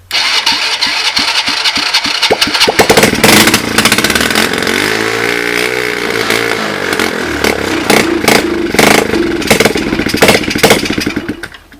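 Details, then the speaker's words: Free 110cc Chinese ATV, 3-speed semi-automatic with reverse, started on starting fluid: rapid cranking chuffs, then catches into uneven popping run settling toward idle, smoking; engine starts and runs. "starts, and it smokes. So this is good news. I got a free quad that runs."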